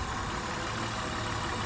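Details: 1999 Honda Odyssey, about 301,000 miles, after folding the coil pack down and resetting the battery: steady, even idle hum with no stumble or skipped beat; all cylinders firing, normal idle.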